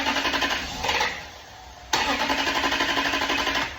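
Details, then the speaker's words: 1998 Toyota Celsior (JDM Lexus LS) that had sat: starter spins the engine in a quick even chug, about four pulses a second, but it never catches; crank no start, fuel-related, fuel pump and filter suspected. "Just cranks. So definitely fuel related, and we're gonna get this thing fixed."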